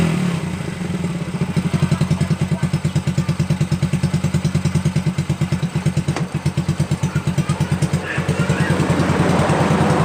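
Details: Honda Supra Fit New motorcycle engine after repair of a damaged cam chain and tensioner: even firing pulses about three per second rise and settle smoothly, with the earlier chain clatter gone; it runs smooth again.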